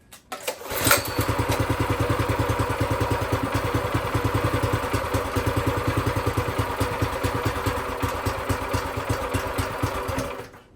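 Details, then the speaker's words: Brand-new Predator 212cc engine mounted on a plate compactor, first start with fresh oil and gas. It catches at once, then settles into a slow, loping putter that sounds ready to stall; idle speed too low, needs raising. "Sounds like I need to bring the idle up a bit. Let me do that. I think she'll be a little happier."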